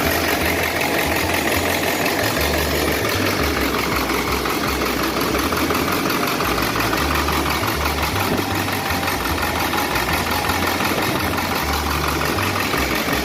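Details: Ford 7.3 Powerstroke turbo diesel after a no-start fixed by replacing the missing fuse 30 in the relay control circuit that lets the computer activate the injectors: loud, steady diesel clatter at even idle, no misses or stumbles; idling normally.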